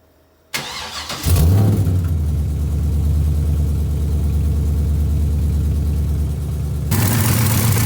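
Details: Pontiac engine with a new oil/additive fill, top-end noise suspected, side unclear (passenger or driver): starts into a loud, uneven idle with rough, rapid tapping under the rumble; ticking noise, cause unconfirmed.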